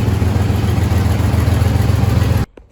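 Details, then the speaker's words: 1st-generation Chevrolet S10 truck at idle after replacing the catalytic converter with a straight pipe, not yet clamped or welded, slight exhaust leak; deep loud rumble, but it now runs where before it hardly ran. "I just got it not clamped and not welded, so it'll probably be a little loud, and I know there's a little exhaust leak, but give us an idea, because before it would hardly run."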